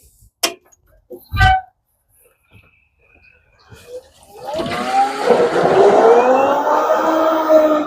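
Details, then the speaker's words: Newly installed variable-speed permanent-magnet 220 V inground pool pump, basket prefilled, first run: a few clicks, then a smoothly rising hum settling steady and very quiet. Normal startup. "This pump is full installed right now and running. I don't know if you can hear it on the camera, but this thing is super quiet. You can barely hear this thing."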